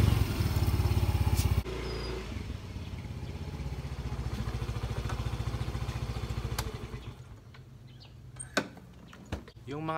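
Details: Yamaha Mio i125 scooter after DIY fix of a knocking noise: engine pulses at idle then settles smooth and even, no knocking or buzzing from bodywork; noise eliminated.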